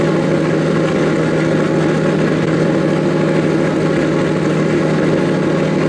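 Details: Nissan S15 after fixing its problem, described as the smallest thing possible: fires right up with no hesitation and settles into a steady, even idle; owner hears a couple of exhaust leaks under the car; heavy smoke earlier, now mostly gone.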